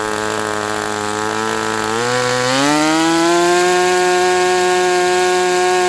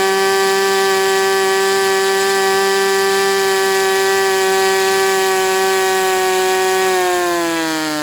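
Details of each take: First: Sport 40 model airplane glow engine during break-in run: steady buzzing note climbs then holds high around 4,000 rpm, won't idle lower though loosening up; owner suspects the air bleed screw is not set. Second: Sport 40-size model glow engine on break-in runs; air bleed screw possibly not set. Steady high-pitched buzz holds about seven seconds, climbing slightly at the end; smooth clean run, normal running.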